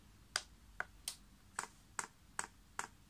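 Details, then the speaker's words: Chinese diesel heater running paraffin, priming via controller: crisp, light pump ticks two or three a second in a quiet room as fuel level rises in the pipe; normal dosing pump priming. "and you can hear that pump's clicking and is in fact now priming you see that level is going up there"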